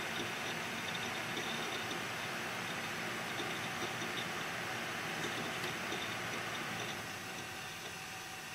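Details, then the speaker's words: Quiet desktop PC (i5, Arctic Cooling Freezer i30, foam-lined Cooler Master case) with the PWM fan controller at its highest setting, about 10 dB louder than the lowest: steady, even rush of air with a faint hum; fans at full speed, healthy. "yeah there is a 10 decibel something difference between the lowest and the highest setting of my pbm control device"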